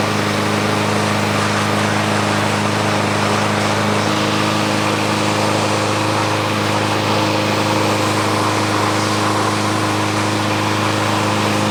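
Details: Free, about one-year-old 2023 Craftsman M110 140cc 21-inch push mower running while being pressure-washed. It holds a constant, even drone with no surging, misfires or knocks; running steadily and healthy.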